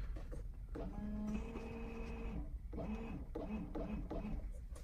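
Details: Ferrari 308 from the 1980s, recommissioned after about 20 years off the road: short steady electric buzz in bursts as the stalk is worked, washer pump running normally and pushing fluid.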